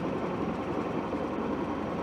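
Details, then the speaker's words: 1967 Starcraft Holiday with a Mercruiser 120hp four-cylinder, idling after a brief throttle blip, with over 70 psi oil pressure and positive charging amps. Smooth, even low rumble with no knocks; water was dripping from a suspected leak. "She's idling real nice. We'll go ahead and shut her off."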